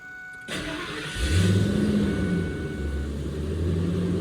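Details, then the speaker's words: Ford F-250/350 Triton V10, first start after new exhaust manifold gaskets, studs and Y-pipe fixed the manifold exhaust leaks: cranks, catches and settles to a smooth idle, the fan louder than the engine; no ticking or puffing. "Like you hear the fan spool up more than the truck. You just hear a bunch of air."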